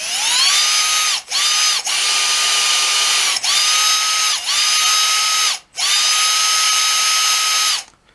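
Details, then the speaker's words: Red Cat 550 brushed RC motor, after cleaning and lubricating the ends to cure squealing: clean whine climbing quickly and holding steady on each throttle burst, then dropping off, no squeal; healthy motor. "sounds healthy and ready to run"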